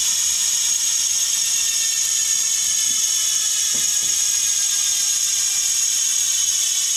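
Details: Bontrager Aeolus Pro 3V wheel with DT Swiss freehub internals on a Trek Domane SLR7, coasting; loud steady high-pitched rapid clicking, no skips or grinding; normal freehub ratchet clicking.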